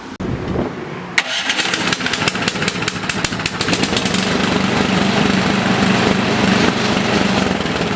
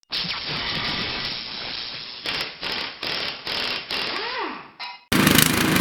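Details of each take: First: Toro snowblower four-stroke engine whose lean carburetor caused rough running and surging, after adjusting the carburetor screw: pull-start catches, revs climb and hold steady with no hunting; surging fixed, normal steady running. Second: Toro snowblower engine runs rough, revs rising and falling in uneven bursts about once a second instead of holding speed. This is surging from a carburetor running too lean, common on new machines.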